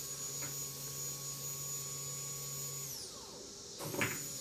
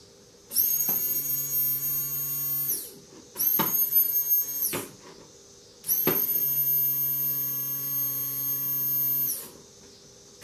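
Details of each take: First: Fuel pump for a 2008 Kawasaki Vulcan 1600D, bench-tested outside the bike on a 12 V DC source: steady high electric whine with a low hum, winding down smoothly when switched off. The pump is working normally. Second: 2008 Kawasaki Vulcan 1600 replacement Quantum fuel pump bench-tested on a 12 V DC source outside the bike: runs in short bursts with a loud, steady high-pitched whine over a low hum.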